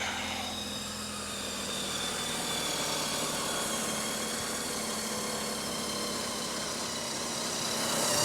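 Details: 1998 Mercury Tracer with crank-no-start fixed by repairing poor battery and ground connections: now starts and settles into a smooth, even idle with steady hum, no stumbles or knocks; healthy.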